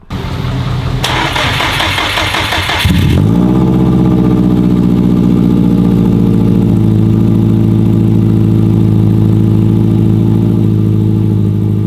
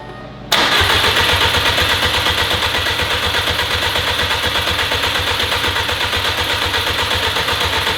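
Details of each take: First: Built Subaru WRX STI first start, jump-started, after swapping the fuel line to fix a no-start: a brief crank, then it catches and settles into a steady, even idle with no misses or knocks. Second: Freshly built Subaru WRX STI first start attempt, in neutral on a jump pack: starter turns engine steadily for several seconds but never catches; fuel lines had been swapped.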